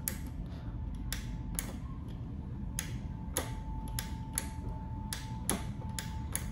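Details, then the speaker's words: Limit switch turned by hand, live cable on the normally open terminal switching a lamp load: crisp single clicks about once a second, each clean and alike, as the contact snaps over; the switch works normally. "so guys our load is operating correctly the moment a moving object comes into contact with the limit switch then it's either open or closes the"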